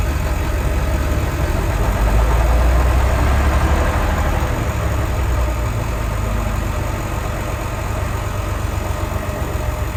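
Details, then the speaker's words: Old diesel bus (Merlin MB375 or Atlantean 1101) after priming the fuel pump, fuel filters still to be changed: holds an even, steady idle with a regular low chug and no misses or knocks. "30 filters now they're starting it'll holding idle now I'll change them"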